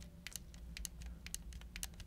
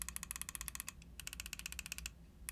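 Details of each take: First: Pulsar Xlite V2 wireless gaming mouse gripped very tightly: faint crisp crackles and snaps in uneven bursts as the plastic shell flexes. Mild creak; otherwise solid build. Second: Pulsar Xlite V2 and V2 mini wireless gaming mice with Kailh main switches: quick, crisp button clicks in bursts with clean release and no rattle, indicating normal, healthy buttons.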